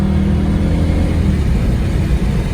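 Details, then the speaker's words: 2009 Pontiac G8 GT on a test drive after replacing the driveshaft carrier bearing with a Dorman unit; steady rising rumble pulling away under load with no more clunking, the carrier bearing was the cause, fixed. "Alright guys, so I'm on a test drive and I actually have no more clunking. Perfect fix, because that's what the problem was."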